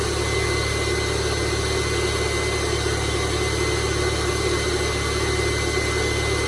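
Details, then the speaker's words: 2002 VW Jetta 2.0L started after oil and filter change; steady idle with constant high airy whine from the secondary air pump running after cold start, shuts off shortly, normal, no leaks. "That loud screaming sound you're hearing is the secondary air pump. Shuts off in a second."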